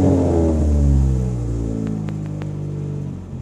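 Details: MK5 Ford Fiesta Zetec S on V-Power with an uneven, stumbling idle and a loping drone, dropping beats about four times a second. Leads, coil, alternator, battery and plugs are under a year old; it runs clean only at very light throttle.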